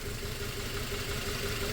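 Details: 2004 Toyota Tacoma 4-cylinder, 141,000 miles, slightly lumpy idle with cylinder 1 misfiring. A stethoscope picks up no injector tick even though the injector shows a good pulse. Coils and plugs were already swapped.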